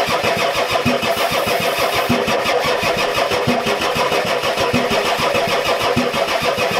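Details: Ford F-250 XLT 7.3L IDI diesel, new injectors, glow plugs waited on, throttle down: steady cranking about three compression beats a second, never fires; owner suspects weak injection pump not delivering fuel to injectors.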